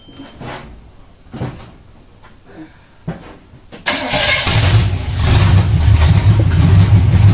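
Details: Truck engine after the carburetor was retuned on its adjustment screws (idle wouldn't settle; suspected vacuum leak ruled out, just out of tune): a few quiet clicks, then it fires and settles into a steady, even buzzing idle; normal idle.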